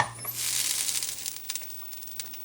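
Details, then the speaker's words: K7000 25-inch arcade monitor chassis after repair of blown-fuse fault and oxidized pads: at switch-on a thin high whine sweeps up, static crackle settles, and it powers up cleanly on a circuit breaker. "That's a good sign. It came on."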